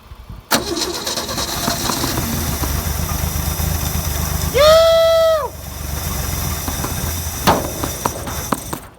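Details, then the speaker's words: XY or XR Ford Falcon barn find's first start in over 30 years, with fresh fuel poured through the breather into the carb bowl: it fires after a crank and settles into a fairly steady idle, with a short toot; normal idle. "this thing just fired and idled"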